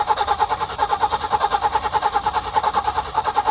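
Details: Peugeot 505 V6 manual, idle over two months, hard-start problem: starter churns fast even pulses, about seven a second, never fires; crank no-start.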